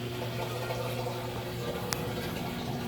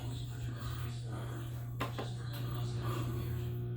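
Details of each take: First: Samsung washer with 5E drain error, drain and spin cycle with tub full of water: steady low pump hum with water rushing through, no rattle; drain pump running normally, drain line blockage suspected. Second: Samsung washer with 5E drain code, on spin-only: low steady hum from the drain pump with no water flow or spin, the pump straining and stuck; drain pump locked up.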